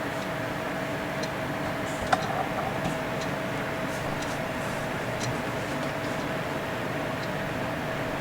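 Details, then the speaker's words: PC with Corsair AF120 case fans run through a Phobya splitter: steady, even airflow hum with no rattle or rising whine; acceptable, normal noise level. "I think that's acceptable. I don't have a problem with that."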